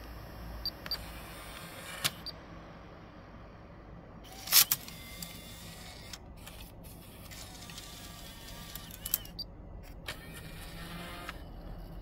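Whirring motor bursts with clicks and a loud clack as the faceplate and disc drive move, louder and rougher than it should be.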